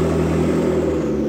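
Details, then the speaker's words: McLaren supercar engine at a loud, steady idle with an even beat and no stumble or miss after repairs using used and cheap Nissan Sentra parts; check engine light gone, only airbag light remains; runs good. "Runs good. Yay."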